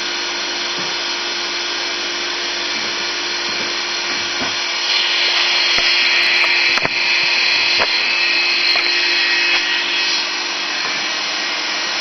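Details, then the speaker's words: Motor for rotoverter experiments, run unloaded on 3-phase in star mode on a homemade mount and drawing about 185W: a steady high whine over a constant hum, with no change in speed. It runs noticeably loud. "but since I guess this one is making a lot of noise when it's running I will make some annotations afterwards uh on the video so I'm going turn it on"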